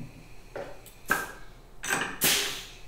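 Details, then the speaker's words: CNCDepot S30c 2.2 kW ATC spindle with pneumatic power drawbar and ceramic bearings (24,000 rpm), on a CNCRouterParts Pro 4896 router: two sharp air blasts with clunks about a second apart. Quick, clean two-second automatic tool change working normally. "that was a two second tool change let's do it again yep that's pretty much why I bought this spindle"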